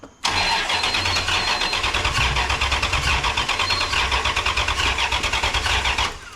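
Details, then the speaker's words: Rebuilt 5.9 Magnum V8 in a 1996 Ram, cranked on a borrowed battery with a jumper wire hooked up. An even rhythmic churn for about six seconds without firing: no spark, because the ignition coil connector was left unplugged. "so this plug that goes into the coil that was unplugged this is not getting any power up to this point well nothing was working nothing was working"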